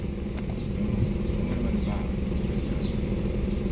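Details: Toyota Wigo that had a blinking check engine light, misfiring, rattling and high idle around 900 rpm (normal about 750). After a faulty wire is replaced, it idles smoothly with a steady even hum and no stumble, and the check engine light is cleared.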